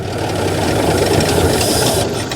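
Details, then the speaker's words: 1955 GMC 350 grain truck petrol engine, primed with a little fuel. It roars with a rough, uneven rumble, then sags as the fuel runs out. Runs briefly then stalls. "ah well we had her running for a minute let's see if we can get her going one more time"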